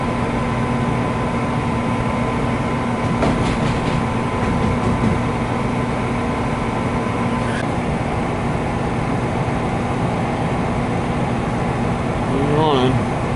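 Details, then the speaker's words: American Standard 90+ gas furnace; steady, even burner roar with a constant low hum and no clicking, surging or cutting out; furnace running normally. "Yeah. I can see it through my camera here. It's definitely running."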